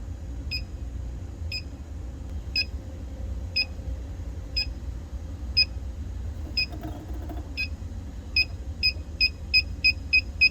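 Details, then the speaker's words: R-290 (propane) cooler that was not working: gas leak detector chirps about once a second, then beeps quicken sharply when run slowly across the bottom near the evaporator, pinpointing a flammable refrigerant leak in the evaporator. "There we go. We're picking up a leak in the evaporator."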